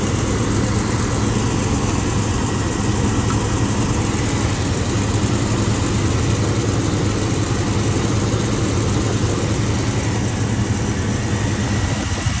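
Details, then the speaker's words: Box Chevy after start-up, with transmission fluid still low. A steady, even low rumble with no knocks, misses or surges. Normal idle. "all right bro you can cut it off so yeah that's that's smooth"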